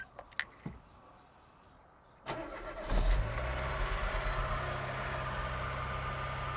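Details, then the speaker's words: Vauxhall/Opel Corsa C after an alternator and clutch master cylinder change: starter cranks, engine catches and settles to a steady low idle with the earlier whine gone; a faint light tapping remains, blamed on a needed service. "so as we said uh the car does need a service uh that's where you're getting some of the like the dapper noise but voila no more whining noises so i'm actually quite happy to hear that when it settled down it started quite nicely"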